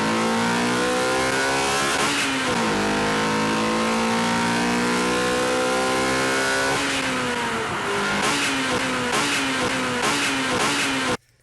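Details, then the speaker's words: Honda B/K-series manual gearbox: revs climb and drop on 2nd–3rd and 3rd–4th upshifts, with a quick grind as the sleeve engages each gear, although the synchros and gear teeth look fine. "You can actually hear the sleeve going on and grinding a bit and then going into gear. So there's really fast grind and then it goes into gear, grind and it goes into gear."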